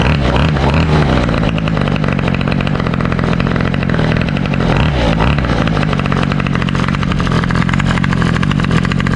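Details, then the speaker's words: 2003 Toro 51938 trimmer with a 25cc two-stroke, cold start that fired on the first pull; loud, steady, buzzy drone at an even speed with no misses or surging, running clean. "that sounds so good [Music] man that was a sick cold start fought on the first pole that is insane"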